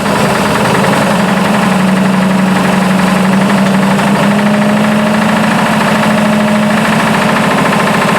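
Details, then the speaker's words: Buick engine in burnt P12 car, 42 psi oil pressure: steady fast, uneven knock at idle under rising hum, newly developed; owner unsure if lifter or rod knock, later suspects a sticking valve. "if that's lifter knock or if that's a a rod knock or anything but she does have a knock of some kind that just developed but I was running 42 lbs of oil pressure there so I'm not really sure what's going on with that"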